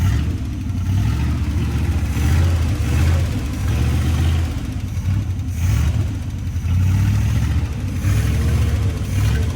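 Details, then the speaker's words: 1955 Chevy 283 small-block V8 after 37 years parked, new starter, cap, rotor and points, carburetor not yet rebuilt, fuel pump possibly bad: deep, even burble with quick throttle blips, no misses; running better. "Awesome. That sounds better."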